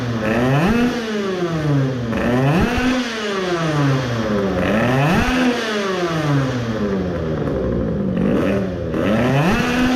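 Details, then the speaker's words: Tuned 20 hp two-stroke moped at full throttle, mixture should now be better and ignition not too advanced: repeated clean pulls up through the revs and back, strong and crisp without fading. "so now let's try if there is any effect the mixture should be better now and the ignition is not too advanced and see if it is fading anymore with the good airflow"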